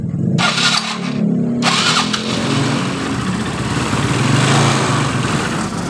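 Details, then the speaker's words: Yamaha Mio Soul scooter reassembled after being totally dead, valves adjusted: fires after brief crank and settles into a steady even run with a slightly coarse whir from the starter/generator area; runs normally. "hidup dengan normal cuma yang ribut ini di bagian dinamonya suara kasar"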